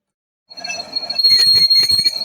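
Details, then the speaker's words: ZF 6HP21 LuK torque converter overhaul with a closed, riveted lockup that had slipped heavily, housing face being turned on a lathe: a steady high cutting tone broken by irregular chattering bursts. The worn lockup surface is audibly uneven. "Слышно, да? Даже по звуку слышно, что неровно."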